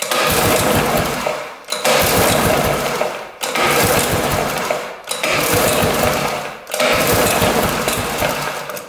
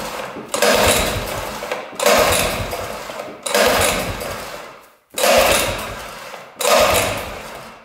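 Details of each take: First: 1960s Ski Daddler snowmobile, spark plug out and cylinder lubed: five rough whirring pull-cord strokes about every two seconds, each smooth throughout, getting easier; engine turns over freely, not seized, spark confirmed. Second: 1960s Ski Daddler snowmobile, two-stroke: five short bursts of raspy firing in eight seconds, each dying away; runs only on gas poured into carburetor, no fuel seen pumped from tank; fuel starvation.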